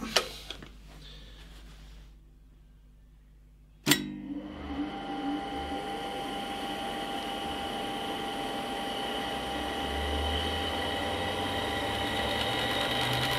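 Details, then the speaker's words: Fujitsu M2294NU 14-inch Winchester hard disk from a Paintbox at power-up, suspected bad spindle bearing: sharp click then a smooth, fairly loud whirr climbing evenly, no high-frequency screech; sounds fine. "It is fairly loud, but I'd say that sounds fine to me. Um yeah, bad bearing will be like a really high frequency screeching or Um that sounds fine to me."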